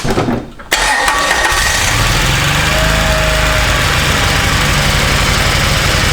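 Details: Kawasaki Mule 3010 after replacing the fuel pump (the OEM pump failed and a replacement fitted in 2013); it catches after a brief crank on choke and settles into a steady, even idle. Confirmed fix; normal idle.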